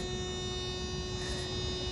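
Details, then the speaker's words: Thermo King trailer reefer unit set to 7°C. A steady, fixed-tone electrical hum is the normal pre-start warning before its diesel engine starts. "Bu sesi niye veriyor? İkaz uyarı sesi. İkaz ediyor."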